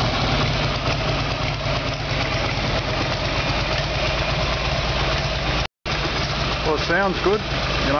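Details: Harley Evolution Sportster carburetor fix, after replacing spark plugs, timing still to do: V-twin idles steadily with an even, loping beat and no pops or backfires.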